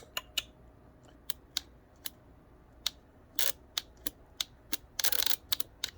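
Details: Saturn S-series with rear-mount turbo, A/C relay test with ignition on: sharp, uneven relay clicks snap on and off in a quiet bay as the relay is plugged in.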